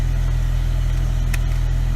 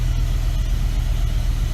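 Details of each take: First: BMW E63 M6 after passenger-side coil pack and spark plug replacement for a cylinder 4 misfire, codes reset: deep steady idle with an even beat, no stumbles; running smoothly on all cylinders. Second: BMW E63 M6 with cylinder 4 misfire codes, no spark on that cylinder: rough lumpy idle with uneven low pulse and stumbling beats; likely failed coil pack, replaced on passenger side.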